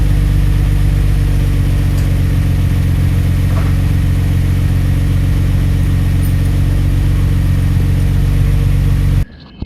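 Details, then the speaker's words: 1991 Nissan Skyline GT-R RB26 with new stainless Blitz downpipe and Kakimoto resonator test pipe (cat delete): deep, steady engine roar held strong and even, no knocks or rattles; quiet exhaust, revs cleanly, normal. "Sounds pretty quiet with that Kakimoto resonator pipe. Let's give it a couple revs."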